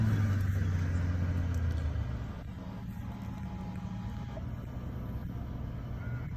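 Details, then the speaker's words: Mercedes S600 L V12 biturbo, 67,775 miles, three owners: brief loud start-up flare for two seconds, then drops to a low, smooth, even idle rumble with no malfunctions shown; normal start and idle. "Now we'll just start it up."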